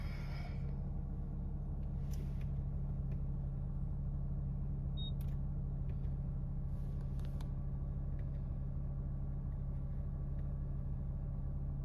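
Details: 2017 Nissan Rogue Sport/Qashqai MR20DD after replacing the VIN J relay, reached from underneath, that caused P0626 crank-no-start: a low, steady, even hum settling into a smooth idle with no stumbling or surging; a normal start, fix confirmed.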